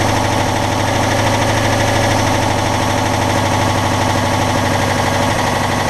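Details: Citroën Dyane 6 flat-twin after carburettor cleaned and all jets removed and cleaned, dirt had passed the fuel filter and it would not hold idle: loud busy idle now holds steady without hunting or stalling; some intake suction noise remains.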